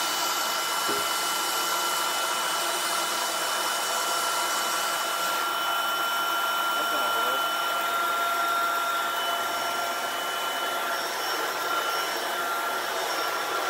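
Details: Shark vacuum with a new or refurbished replacement motor assembly, just installed and switched on: smooth even whirr with soft high whistle, no rattle or grinding; quiet, normal motor running.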